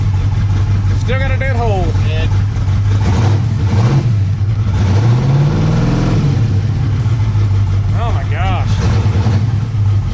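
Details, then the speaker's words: Turbo LS V8 that idles fine but misses under load, even after a replacement carburetor and a new coil-pack harness: rough, uneven note stumbling through short revs, still missing; owner leans toward a reluctor wheel fault, unconfirmed. "So we're gonna see what happens. Still sounds like crap. Still missing."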